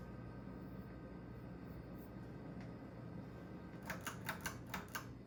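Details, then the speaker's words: Restored ceiling fan running on high speed, wobbling: a steady low electrical hum runs under the fan, with a few sharp clicks near the end. Hum source unclear. "On high speed it hums."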